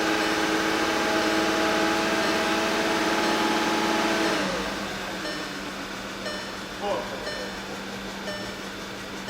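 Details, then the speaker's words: 2015 VW Tiguan 2.0T GDI, flashing check engine light, P0304, with new plugs and a new coil. Revved, then a rough idle with a recurring stumble and a dead miss on cylinder 4. "move the RPM so this is why my focus is on cylinder 4 when I move the RPMs the only one that counts now is on cylinder 4"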